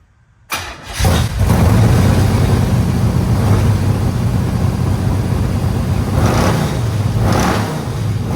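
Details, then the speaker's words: 1967 Chevelle retired race car with a garage-installed engine, radiator and exhaust, started up: V8 catches after a short crank and settles into a deep, lumpy, loud, steady idle. Normal start-up and idle. "And hey, I'm gonna start it up for you. This car is a real treat."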